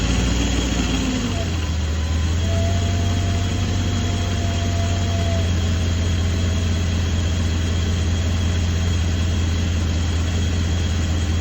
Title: BMW E32 Rough Idle & Shimmy